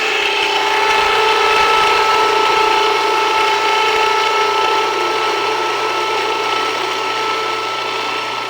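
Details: Jiffy Precision Mill, US-made electric steel burr grain grinder, grinding grain at a slightly backed-off setting; steady motor hum with even fine rasp of grain through the burrs, no straining or stalling; mill warm but not hot after; normal grinding.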